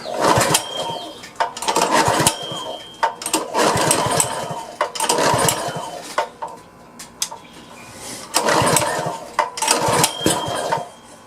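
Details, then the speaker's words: Power washer engine after carburetor cleaning, throttle at midway, carb cleaner sprayed in; repeated pull-start bursts about every two seconds that never catch because the on/off switch was left off; cranks but won't start. "I guess it'd help if I turned it on I had it in the off position that whole time it's trying"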